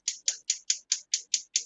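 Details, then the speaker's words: Gas stove burner that went out while cooking, owner first suspected empty gas bottle: sharp, even ticking about five times a second with no flame catching; igniter clicking without ignition, gas jet suspected as the cause. "You can probably hear it clicking. Yep. Wow, how's that for timing? Go figure. No, it's like technology. It's the gas jet playing up."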